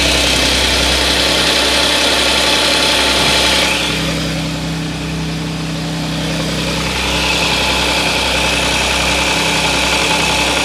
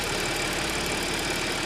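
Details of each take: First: Audi S, bought 2014, cold start: busy, rattly metallic engine noise that briefly eases then returns, said by the customer to be most obvious when cold; suspected slack timing chain. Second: Audi S after repair: petrol engine idles with a steady even hum, no rattle or knock; the earlier cold-start engine noise, attributed to the timing chain, is now gone.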